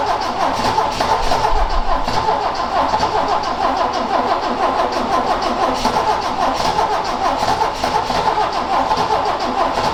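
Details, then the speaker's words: Ford XA Falcon, parked outside for an unknown time with unknown history, cranking: steady rhythmic cranking for ten seconds without catching; owner suspects it loses spark as it starts, and the carb float bowls had emptied. "it's like it's losing spark as soon as it starts"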